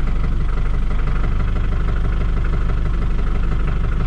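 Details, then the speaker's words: John Deere 5410 diesel tractor after clearing algae from fuel system: steady even idle at constant speed, slight occasional surge from air in the line, revs with good snap; normal idle, problem fixed. "Yeah, I think we're good. It's sitting right there holding wherever you put it. Problem solved."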